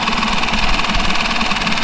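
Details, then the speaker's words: Mercury 5 hp four-stroke outboard that had been submerged, running before its fuel pump is replaced, with 50–60 dB background noise: a fast, loud tick over a steady engine note. The fuel pump is suspected, not proven. "the reason why i wanted to change it is because i'm noticing some loud noise coming from the fuel pump even though the motor starts"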